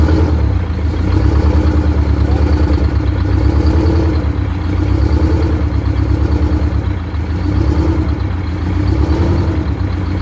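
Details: Detroit Diesel 92 series military-surplus engine, sat 20 years, in a bus, idling after first start on cold oil, dash oil pressure 75: loud, steady clatter, even firing beat, slight speed drift; runs cleanly after priming.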